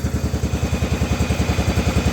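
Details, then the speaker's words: 1994 Cub Cadet 2135 Series 2000 riding mower, running again after about 36 years sitting, dirty carburetor cleaned; parking brake set, choke pulled. Even, steady chugging at about ten firing pulses a second, no misses or knocks: a smooth, healthy idle. "Set the parking brake. Pull [snorts] the choke. >> [sighs] >> There's it idling."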